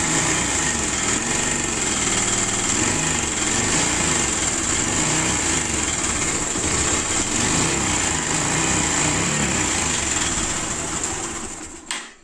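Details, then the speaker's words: 2016 Pulsar 150 motorcycle before repair: steady single-cylinder idle with fast dry metallic chatter on top, timing chain noise; timing chain, timing adjuster and engine oil to be replaced. "இந்த வண்டி sound பார்த்தீங்கன்னா timing chain sound இருக்கு timing chain sound plus ஒரு timing adjuster மாத்த போறோம்"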